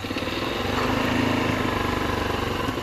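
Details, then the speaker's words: 2006 Yamaha Touring Strata RX150 GY6 scooter revived after sitting a long time, possibly flooded after vacuum line was hooked to the fuel side: putters at wavering, uneven idle with irregular pulses, nearly stalling; cause unclear. "is it going to stay running is it going to stay come on come on baby keep going keep going"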